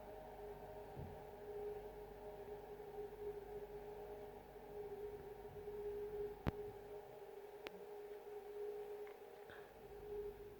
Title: Haier fridge weird noise